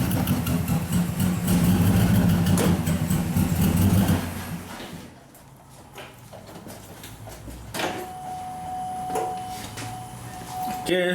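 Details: 2007 Cadillac Escalade, hard to start, flashing check-engine and traction-control lights: lumpy, uneven idle with a recurring stumble. Cylinders 7 and 8 misfiring, mainly 8.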